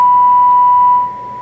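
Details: Lilian Grant XL radio, repaired after shipping damage, fed 100 microvolts at 30% modulation on channel 20 from the RF signal generator: clean steady tone about a second, fades without crackle or distortion; normal receiver audio.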